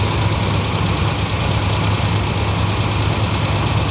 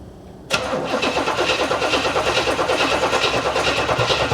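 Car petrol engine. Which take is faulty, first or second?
second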